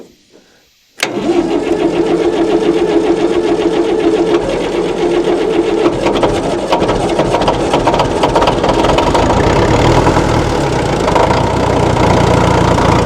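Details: 1960 Massey Ferguson FE35 four-cylinder diesel, first start after long sitting in a paddock with battery fitted, oil, water and fuel: brief silence, then it fires at once and settles into an even, steady idle with no knocks or misses.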